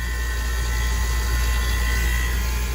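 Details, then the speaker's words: Compressor on a 30-year-old water-cooled walk-in cooler, down for weeks and previously short-cycling on overload, firing up: steady deep hum, faint even whine, no clicking or stalling; normal compressor running. "And listen to that beautiful sound. I am actually shocked that this thing's running. Wow. That is great news."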